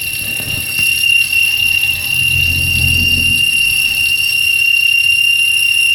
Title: Corsa c свист ремня.